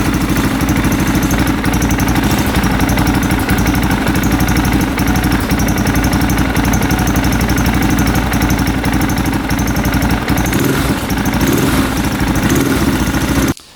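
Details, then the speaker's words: A 2003 KTM 625 SXC Supermoto idles after a carb clean fixed its start-then-die problem, recorded with the microphone right by the engine. The big single gives a steady, even thump with no knocking or weird sounds: normal idle. "I don't hear any knocking, no weird sounds. We're gonna put the camera right by the engine so you guys can hear, but I think it sounds good."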